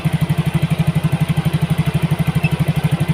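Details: Yamaha Mio GT injected scooter after injector replacement and CO trim changed to 7%; mixture balance right, O2 sensor 0.49 V, idle control 19.0%, 1300 rpm. Steady, even putter, no misses or hunting; normal idle.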